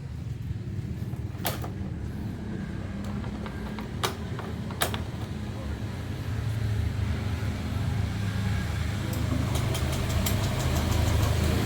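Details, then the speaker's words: 2015 Honda Beat injection scooter, after crankshaft and bottom-end rebuild following damage from running with dried-up oil: settles into an even, low, much smoother idle with no knocking or strange noises; normal idle. "Nah, udah hidup ya. Suaranya udah jauh ya, jauh lebih halus. Udah enggak ada suara yang aneh-aneh."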